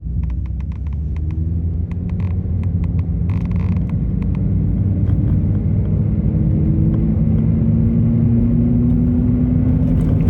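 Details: Subaru Traviq XM220 (Opel Zafira) driving: deep droning rumble with a humming tone rising as speed increases, from a damaged hub bearing, heard before replacement; wheel bearing rumble.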